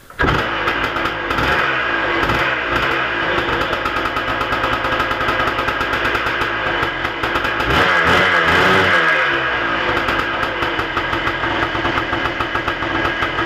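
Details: 1987 Kawasaki KDX200 two-stroke, freshly rebuilt over winter, chilly Michigan weather, started on first or second kick: crisp crackle holding a steady idle, then picking up cleanly on a blip and dropping back; now starts easily and idles well once warm.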